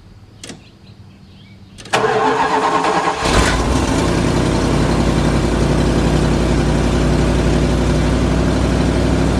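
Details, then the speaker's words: 1979 carbureted mini motorhome, cold start idling to warm up: engine cranks, catches and settles to a fast idle with a steady tinny rattle underneath from a loose exhaust flange and gasket. "so I was just idling the car getting it up to temperature because old cars really especially carbureted cars don't really run great until they drop the temperature and I'm like what is that noise I'm hearing like a rattling under the car"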